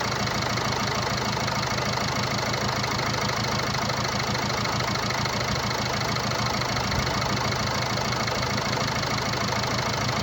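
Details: 2017 Land Rover Discovery V TD4, 2.0 diesel (R4/2.0TD4, 132 kW), 109,695 km: steady idle with a fast, fairly even light rattle of about three per second, from a stretched timing chain.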